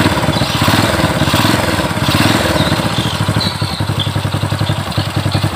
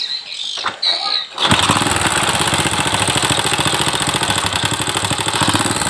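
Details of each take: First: Honda Supra 100 motorcycle, after replacing noisy worn cam chain: small single settles into a steady, even idle thump with no top-end rattle or ticking; engine now smooth. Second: Old Honda Supra X (Supra 100) motorcycle, noisy and thirsty, starts and idles with a busy scraping rattle from the left side; diagnosed as a slack cam chain (rantai kamprat/keteng), not valve noise; chain to be replaced.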